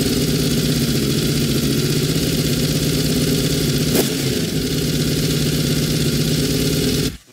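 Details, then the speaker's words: Honda VFR750 V4 after carburetor install, fuel screws set to stock, airbox cover on: fast, steady idle that never drops back down; owner suspects a fuel supply fault in the carbs and will pull the rack. "there is something going on here i cannot figure out what it is i cannot get the idle down anymore"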